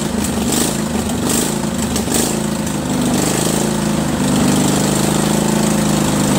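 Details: Craftsman 20.5HP 46" lawn tractor, Kohler Command V-twin, choke off, before carburetor cleaning: loud uneven beat rising and falling instead of holding steady, surging badly at all throttle speeds from a dirty carburetor.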